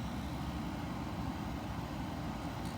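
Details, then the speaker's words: Hisense Energy Star dehumidifier, drawing 3.2 A against 6.8 A max rating: steady low hum under even fan rush, no rattles, clicks or grinding; nothing wrong, running normally. "There's nothing wrong with this thing. I just saved myself $400, guy."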